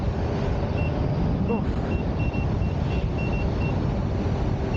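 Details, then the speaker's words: Sherman S electric unicycle on original firmware at about 40 mph: repeated short high beeps in uneven bursts over heavy wind and road noise, the PWM alarm, which starts at 70 percent PWM on this wheel. "can you guys hear his constant SOS beepings I'm only going 40 miles an hour but I am hitting um I must be past the 70 percent pwm thing"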